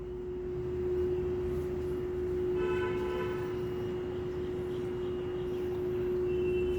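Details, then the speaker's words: Lloyd inverter split AC installed April 2023, within warranty: loud, steady single-pitch hum like a held train horn since installation, deafening through adjacent rooms, unresolved after two service visits. "you can listen to the hum, loud humming, it's from my AC"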